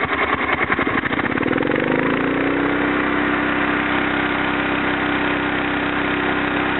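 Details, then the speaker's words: Kohler K241 single-cylinder in a Wheelhorse C-101 after head gasket replacement, carbon cleaning and tune-up, throttle turned up to high: slow chugging quickly speeds into a fast steady even drone; normal high-throttle run, owner suspects slight intermittent miss remains. "One thing that I did not do for you all, I did not turn it up on high, so let's give that a shot."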